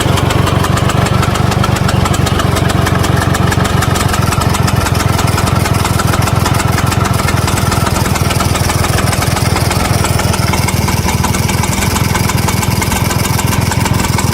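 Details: Vespa VBB 1963 two-stroke scooter idling with a fast, loose metallic rattle over its rapid putter; won't start once warmed up; cause unknown.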